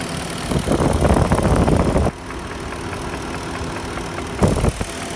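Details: '04 Porsche Cayenne S 4.5L V8, a high-mileage car, with a used swapped engine: a steady idle with a dull, uneven knock of about three per second under the exhaust note. It is piston slap, later cured by a rebuilt Nikasil engine with JE pistons.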